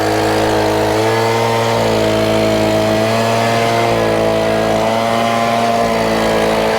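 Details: Stihl BG50 handheld gas blower, after start from full choke: steady even two-stroke drone rising and falling slightly with throttle, no misses or rattles; normal running.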